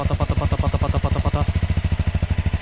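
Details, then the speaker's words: Motorcycle with about 15,493 km, exhaust-melted signal, checked before purchase: even, steady low thump at idle with regular firing pulses, no knocks or rattles; engine block sounds fine; normal idle. "There is a proper working order. Let's hear it from here. There's no trouble here."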